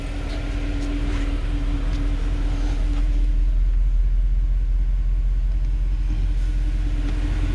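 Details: 2013 Mercedes C63 at 100k km, just restarted after fitting new gaskets and a new PCV: deep, smooth, steady idle rumble with a faint constant hum and no surging or tapping; normal idle.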